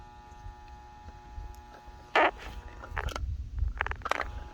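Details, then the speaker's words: Brand-new (returned, damaged-box) septic pump tested after water would not pump up: a steady electric hum with no spin-up, broken by handling clunks, as the powered motor hums but is stalled and not turning. "so you can test the pump just play I can hear it humming"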